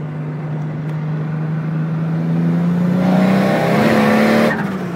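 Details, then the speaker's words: Nissan S14 with RB30DET turbo engine, wastegate spring about 13-14 psi, screamer pipe, AFR good: pulls hard with smoothly climbing tone, then sharp rushing blow-off as it tops out; healthy turbo rev. "Oh yeah, now we're revving the bitch out. And it's got a screamer pipe, which is awesome."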